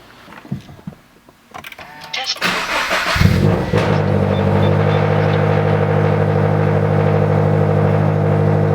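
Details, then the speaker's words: Subaru BRZ/Scion FR-S/Toyota GT86 after transmission removal and throwout bearing replacement: engine starts and settles into a steady, even idle; the throwout bearing noise heard before is gone when the clutch is released. Normal idle. "okay so far so good car turned on I'm putting a frisky here started rolling a bit when I started losing the clutch I don't hear that they're all bearing noise anymore"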